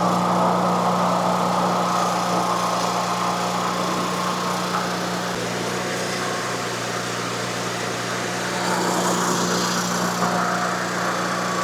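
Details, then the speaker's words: Miller Bobcat 225NT welder/generator with older Onan engine, after no-spark ignition repair, warmed up: smooth even steady idle drone, no misses or stumbles; running as it should. "All right, once it warmed up, it idled back down perfect, the way it's supposed to run."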